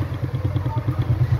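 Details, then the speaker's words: Stand fan running on speed 1, cover removed, drawing loud hum and barely turning: low rhythmic thumping about nine a second under a heavy hum; shaft wobbling in a dry, worn bushing with crumbled spacer. "Ayan nakita niyo? Ayan oh. May time na wala. Ayan oh. Alog na yan kasi kaya ganyan."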